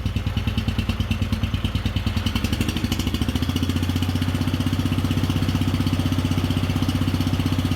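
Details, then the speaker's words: Wheel Horse 857 garden tractor single-cylinder, cold on choke, first start in two years, balance gears removed so tractor shakes at idle: low idle about three thumps a second, slightly uneven; running rich, owner thinks it may need carburetor work. "might need a little carburetor work here but let's see if we can just get her warmed"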